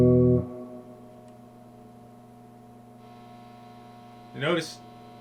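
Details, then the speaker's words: Acoustic Control Corp 260 amp head on the test bench: steady low hum with buzzy overtones at constant level; suspected reverb coils picking up low-level hum, possibly nothing; mains hum, unconfirmed. "hum is the same hum as the other one so it could just be the way it is with the Reverb coils picking up that low level hum again"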